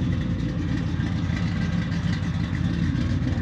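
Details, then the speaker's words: Supercharged Ford Mustang GT V8, claimed over 600 hp, from Sweden, untuned despite several shops: lumpy, unsettled idle, running rough; allegedly only runs decently in cold start mode. "But as you can hear, it isn't running that well and allegedly, it only runs decently when it's in the cold start mode."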